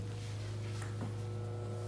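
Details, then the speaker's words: Vintage Bigston radio/cassette player, sold as working, first power-up after cleaning: a steady low hum with a faint high whine and no program sound at all; it powers up but gives no audio output. "Oh boy. Well, it's got a sweet whine. I don't know if you can hear that. Let's see. Oh my God, did the little old lady lie to me? I'm not getting anything."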